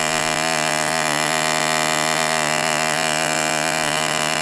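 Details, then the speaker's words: Enya 40 TV Model 6002 glow engine during break-in heat cycles, run at full throttle on a warm day in the upper 70s. High buzz with a wavering burble as the pitch drifts up. Deliberately kept rich and four-stroking for break-in. "So I am just going by running it at full throttle and keeping it at that burbling four stroke period."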